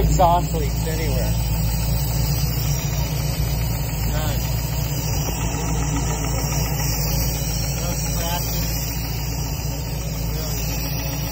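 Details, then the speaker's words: 1966 Mustang Fastback with new Ford Racing BOSS 347ci crate V8, warm idle with fan on, about 40 psi oil pressure: irregular knocking at roughly three to four per second; shop suspects internal, cause not found. "Except for that knock, they gotta figure that out. This thing idles beautifully. No exhaust leaks anywhere."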